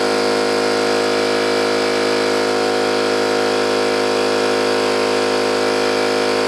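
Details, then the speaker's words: New oil-lubricated Campbell-Hausfeld air compressor, replacing an old Brute with a leaking unloader valve, under load filling its tank with drain valve closed: steady, even motor drone, smooth pumping rhythm, no metallic clatter unlike the old one; normal running, pump warm afterwards. "one thing I noticed is that this thing is not making any horrible metallic sound like the old washing maggiore did I mean bad metallics down you know just it just run it doesn't make clattering and blinking and really bad sounds like the other one"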